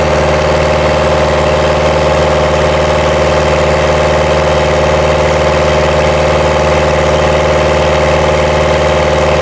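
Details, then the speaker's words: 2010 Ford Ranger (Mazda BT50) 3.0L turbo diesel at operating temperature, P0107 MAP circuit low fault: under full throttle during an intake cleaner treatment, a flat mid-rev drone never climbs, as limp mode limits it to about 2,400 RPM. "Well, because it's in limp mode, it's being limited at about 2,400 anyway."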